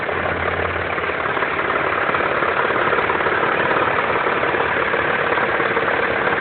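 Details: 2.7T engine at steady idle with a regular dull tapping about three to four times a second over the engine hum: engine knock, cause unknown.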